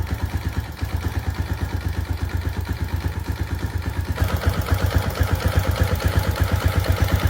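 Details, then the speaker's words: Modified Yamaha Jupiter Z1 after fitting a manual AH1 tensioner and new cam chain, with standard exhaust: steady, evenly spaced idle beats with a faint light tick on top but no loose cam chain rattle; noise much reduced, chain properly tensioned. "Ya namanya motor udah nggak standar, jadi ya kayak gini ya, bunyinya ada sedikit ngelitik, tapi ngelitiknya itu bukan ngelitik dari rantai ketengnya gitu."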